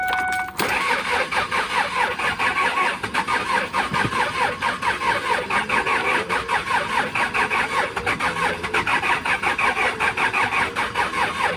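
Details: Kia Sorento with D4CB diesel cranks at an even rate for about ten seconds but never fires, with codes P1183, P0263 and P0272. An injector circuit problem is suspected but not confirmed.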